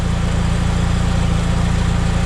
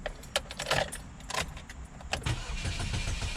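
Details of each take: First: 2006 Chevy HHR idling after rusted fuel pipes were replaced with custom nickel-copper lines, checked for leaks and dry: even, steady low rumble with no misses, knocks or hiss; normal idle. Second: 2006 Chevy HHR cranked with the 15 A fuel pump fuse pulled to depressurize the fuel system before fuel pipe replacement: starter turns the engine over in an even rhythm, never catches, no fuel pressure.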